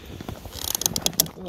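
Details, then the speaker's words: Fuel cap tightened until its built-in torque limiter clicks, a value guessed at roughly 40–45 inch-pounds but untested. A quick run of sharp light ratchet clicks as the cap turns; the limiter slips normally. "you tighten until it clicks and that click is basically the sound of the torque value being set by the gas cap itself just like that"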